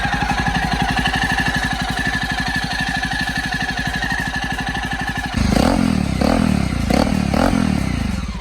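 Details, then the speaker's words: Jawa single-cylinder bike after installing an aftermarket timing chain tensioner, engine noise slightly reduced: steady clean idle with a couple of throttle blips, no rattle or clatter; normal idle. "इसकी engine की noise थोड़ी बहुत कम हुई है"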